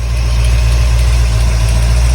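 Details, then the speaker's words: 1981 Corvette small-block Chevy V8 after distributor replacement, timing bumped from 12 to 14 degrees, idling about 1000 rpm: deep, steady burble with no misses, knocks or ticks; normal idle. "all right I bumped the timing to uh 14 it seemed to like it a little bit better we are idling at like a thousand right now"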